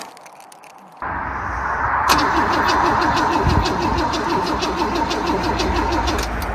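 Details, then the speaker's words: Holden Commodore pulled from a wrecking yard, old petrol smell, on an old battery; starter spins the engine evenly at about three or four compression beats a second but it never fires; cranks, no start, cause unconfirmed; fuel to be poured down the carb next. "Well, cranks. Yeah. Well, it's no real use checking if it's got spark, because tipping fuel down the carb will tell us that."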